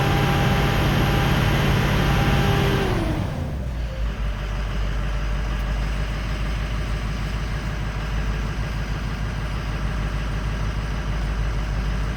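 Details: 2004 Ford 6.0L Powerstroke after the odd-bank injector repair, after about 5 more minutes of running and not yet driven; revs drop cleanly from a raised speed to a smooth, even idle, steady low rumble, no stumbling. Cylinder 6 still somewhat doubtful. Normal idle.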